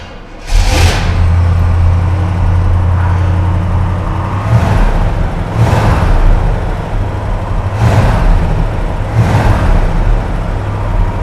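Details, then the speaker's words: 1971 Pontiac GTO V8, first start after about 12 years of sitting, once a grounding problem with the jump pack was fixed. Deep burble with sharp throttle blips that rev cleanly and settle back; it sounds healthy, though the car has other issues. "isn't that great sounds beautiful all right guys you just saw that car start after sitting for what 12 years"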